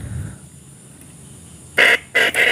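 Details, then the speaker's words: Original horn from an old Yamaha RX King, powered from a depleted battery, with only one side of the horn working: three short, thin, buzzy honks with a nasal rasp. The owner attributes the weak tone to the drained battery. "bunyinya seperti itu karena akinya udah tekor belum saya aja bunyinya seperti biasa"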